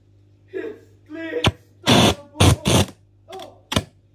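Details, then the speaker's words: 2006 LG 37-inch plasma TV, model 37LC2D, at switch-on, camera very close: sharp loud crackles and pops in irregular bursts over a few seconds through the TV speakers; owner also reports buzzing, whining and glitches, cause unknown. "This is my possession Thunderbolt LG Plasma T3 while turning on like a thunder sounds. Crackling."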